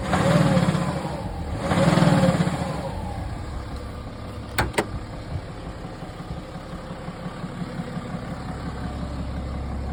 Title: Bmw 330d N57 knocking Sound Engine??